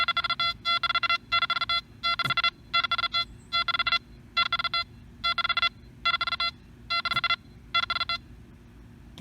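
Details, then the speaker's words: Nokta Makro Anfibio metal detector swept over three coins about 2–2.5 inches apart: clean repeated tone bursts splitting into separate distinct beeps; fast recovery separates close targets. "separate targets right next to each other and this machine recovers quickly to let you hear all three"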